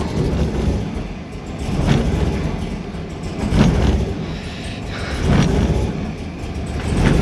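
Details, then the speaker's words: LSA supercharged V8 drift car on E85 with a new fuel system. Idle lumps unevenly, rising and sagging every couple of seconds: a misfire. Suspected fuel overload or loose or faulty spark plugs. "Sounds like it's misfire, but it's probably fuel overload, right? Maybe fuel overload."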